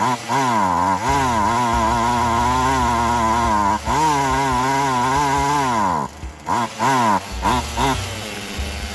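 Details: Poulan Wild Thing 2375 chainsaw after replacing gas lines and primer bulb, throttle raised, running hot: high screaming pitch that sags, wavers and dips instead of holding revs. Still needs high/low adjustment. Bogging.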